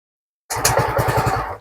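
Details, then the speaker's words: Fazzio scooter with the lowest throttle-body sensor connector unplugged, MIL lit: engine catches with about eight quick firing pulses then dies; won't keep running even with throttle. "Kemudian kita hidupkan, apakah motor bisa hidup? Nah, dia hanya bisa ngangkat dedet mati."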